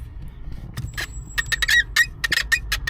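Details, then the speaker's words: T4 clutch pedal: sharp high squeaks with each push over low background rumble, persisting after silicone spray lubrication; owner suspects something cracked or broken at the pedal, not confirmed. "that's about already did a bit of a squeak yeah something's cracked there I think I think something's broken"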